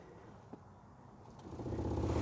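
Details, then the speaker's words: 2008-2013 Nissan Rogue heater blower motor, owner reports a monster sound when heater turns on: low rumbling growl that grows louder as fan speed rises, as if the motor binds but keeps spinning; suspected debris or object inside, not confirmed. "even on low you can kind of hear it but as I crank it up you can tell it's almost like the motor is binded but it's still trying to spin"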